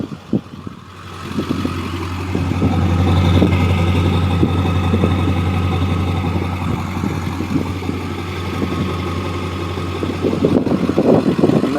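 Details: 2002 Ford F250 7.3 L Powerstroke diesel with what is believed to be a Banks exhaust, factory idle unmodified, heard at the tailpipe: steady, even low rumble with no misses or knocks; idling smoothly and healthy.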